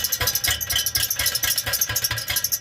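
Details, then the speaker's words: 2007 Pontiac Grand Prix GXP LS4 starting after an oil change: a tinny jangling rattle pulsing with the engine beat, from unwelded metal pieces loose inside the muffler. It was fixed by re-welding the muffler internals. "I think that pipe in there is loose."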